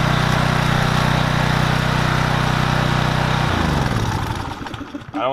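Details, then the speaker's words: Troy Bilt 2800 PSI pressure washer (model 020568), Briggs and Stratton engine, after carburetor bowl work for a no-start: starts and settles into a steady even putter, then winds down and stops; running properly, without water connected. "Is it on (the switch) (Starting it - and success - it starts)"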